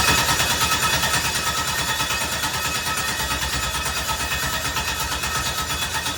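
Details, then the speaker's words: LS-swapped Mazda RX-7 cranking with steady thumps about three per second and hissy background, firing only briefly on carb cleaner sprayed into the throttle, no sustained running; injectors suspected not getting power, possibly missing pedal or mass airflow sensor. "dumping fuel inside the cylinders definitely gets it to run. Definitely fired."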